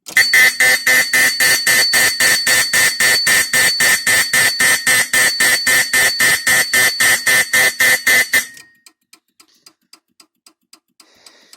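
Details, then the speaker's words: Simplex 2001 fire alarm panel on workbench, four zones and four signal circuits: zone thrown back into alarm while NAC 2 is still coding after silence, so the horn resounds in rapid loud pulses, nearly four per second, for about eight seconds. "As long as I throw it into alarm before the coding completes, it will resound the horn."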